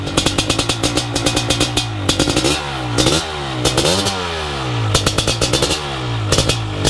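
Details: First startup of a BRC 500 engine kit in a 2015 Husqvarna TE 250 with SmartCarb 40mm billet carb, TPS and PowerCDI ignition; it is kickstarted with the decompression release. The big single barks into life and revs cleanly up and down with crisp, regular firing and no knocks or rattles; healthy.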